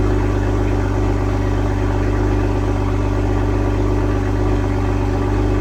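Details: 2022 BMW M240i B58, just after an MST downpipe install with both O2 sensors reconnected. Deep, steady, even idle rumble with no misses, ticks or rattles. No check engine light; normal idle.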